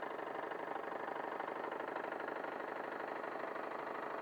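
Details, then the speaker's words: Wilesco D21 model steam engine on its second run, fired by a Bix burner on propane/butane mix and driving a 3D-printed Baker fan as load. Even, rapid chuffing at about three beats per second, unbroken. Normal running under load. "There we go. Sounds good with the load on it."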